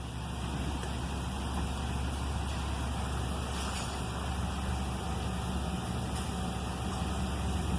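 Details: 2011 Toyota Land Cruiser being repaired for a no-crank, no-start fault with no engine light: steady, even low rumble with no knocks, misses or surges as the engine settles into a smooth, healthy idle.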